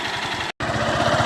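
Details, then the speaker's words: Honda Fan 150 single-cylinder motorcycle ridden under load, noise noticed on gear changes and uphill acceleration: steady beat with a dull knock on each pulse, resembling rod or piston knock but located at the clutch side; balancer gear spring knock. "O barulho desse motor, galera, está localizado aqui na parte da embreagem. Vou estar desmontando aqui, mostrando para vocês. Esse barulho é muito parecido, né, com o barulho de biela ou de pistão batendo, né, batendo aqui no cilindro."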